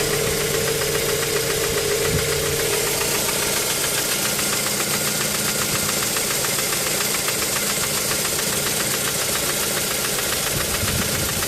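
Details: Mazda 3 petrol engine idling with a fast, uneven ticking knock and occasional stumble, appearing after spark plugs were changed, with a misfire when stationary.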